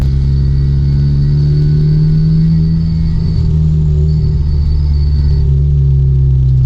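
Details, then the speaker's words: Honda Civic Type R FK8 after PRL flex fuel kit install, heard while driving: steady low droning buzz whenever throttle is applied, gone on decel, with ticking also noted; source not pinned down, owner suspects the flex fuel kit. "Anytime the throttle is applied, it's making this like buzzing sound."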